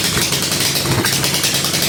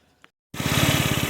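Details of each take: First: 2007 150cc GY6 scooter, parked since 2016, first run after repair with starting fluid: harsh, raspy, very loud popping exhaust at fast idle, then cuts off; homemade exhaust with no real muffler, excessively loud. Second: 2007 150cc GY6 scooter after repairs and throttle stop adjustment to lower the idle: catches cleanly and settles into a steady, even putter without stumbles; smooth, healthy idle.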